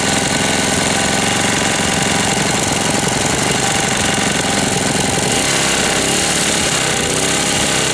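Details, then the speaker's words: 1998 Briggs & Stratton 60 (6 hp) Intek Edge restarted after long storage, oil changed, hoses replaced, not warm: fast hard metallic hammering like a tiny jackhammer; runs strangely, sounds about to seize despite oil at level, cause unconfirmed. "Bizard comment il tourne. Bon, je vais le laisser tourner pendant un moment. Bizarre le bruit qu'il fait. On dirait qu'il va serrer."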